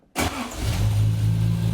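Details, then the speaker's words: Triumph TR6 converted from carbs to Patton Machine TBI fuel injection, restart next day: fires almost instantly after brief crank, settles into steady even idle without stumble; IAC initially open 64 steps raising rpm; fuel pump not noticeable. "oh wow she starts like a car"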